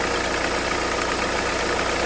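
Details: 2011 Renault Kangoo 1.5 dCi 86 hp, under 100,000 km, diesel clatter at idle with uneven lumpy beat; Delphi injection pump with metal filings and foamy, aerated fuel upsetting delivery.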